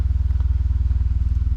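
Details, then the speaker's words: 2021 Mazda 3 Turbo with CorkSport 80mm cat-back, exhaust pulled away from the driveshaft it had scratched and tips adjusted: low even exhaust pulses at a slow crawl, no rattle; the earlier noise is gone. "I also adjusted the exhaust tips. It's not making it."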